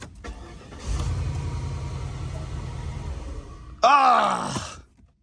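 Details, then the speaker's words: Flood-damaged Cadillac DTS convertible after a BCM swap, now starting with the key: it cranks, catches, runs rough about three seconds, flares briefly, then dies. The injectors get cut each time, and it may need programming. Engine starts then stalls. "We're getting somewhere. Doing the same thing it did before where it's shutting off, but I can actually start it with the key now."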